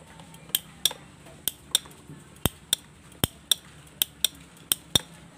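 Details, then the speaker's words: Honda Beat FI scooter with conventional starter motor: sharp, uneven clicking about twice a second near the starter relay with no cranking; starter motor doesn't turn at all, worn or damaged internally. "Nah, itulah dia bunyinya cetakcetik cetak cetik seperti tadi ya karena kalau dinamonya rusak ya."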